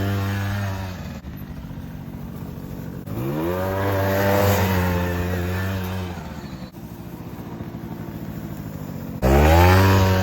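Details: 2006 Suzuki Quadsport LT80 two-stroke, long stored with a seized engine, after freeing up, carburettor cleaning, stock position and airbox refitted; revs up cleanly and drops back to a steady idle, crisp throttle response with no bogging.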